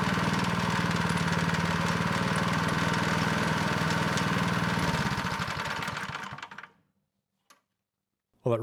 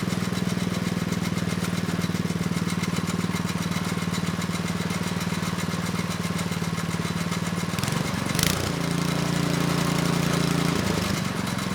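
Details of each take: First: Neglected Craftsman snow blower 247.889571, running with belt cover off: even, smooth chug with no scraping, then clean wind-down at shutoff; scraping had come from pulley and belt rubbing the cover. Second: Neglected Craftsman snow blower 247.889571, after carb work, running steady with choke off: faint dry scrape over even engine beat, suspected from belt area.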